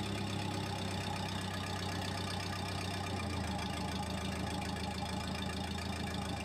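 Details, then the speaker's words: Case 450D dozer diesel with a Roosa Master injection pump, after a stump broke the pump's throttle attachment. A slow, uneven chug with deep low thumps; the idle is still too low after adjustment. "so the idle's still pretty low but we ended up moving it back closer"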